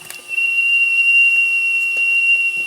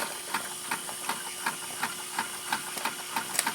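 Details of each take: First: RETROL SE-02 horizontal mill model steam engine with generator, alcohol-fired boiler heating up: a thin, steady high whistle sounds untouched while water drips from the condensate valves, meaning the whistle valve is leaking steam. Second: Model horizontal mill steam engine with generator, alcohol-fired boiler, warmed up after draining condensate: even puffing exhaust beats about two to three per second over steady steam hiss; runs smoothly, normal running.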